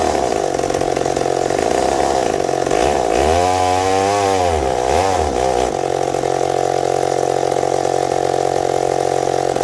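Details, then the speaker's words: McCulloch 790 MC101 chainsaw with an ignition chip, cutting with a consistently high idle. The high scream sags mid-cut, then recovers, so it bogs under load. The owner suspects it is leaning out; the PTO seal and carburetor adapter were checked. "while putting it and it was eating and then halfway through fell down and i finished up the cut but you'll see it didn't like something"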